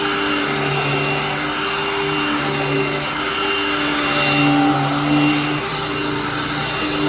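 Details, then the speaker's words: Hoover-branded upright vacuum: loud, steady motor whine with an even rush of air that never wavers; nothing broken, solid machine, just too loud; normal run. "we'll give this a super quick run again great machine just too loud for my liking"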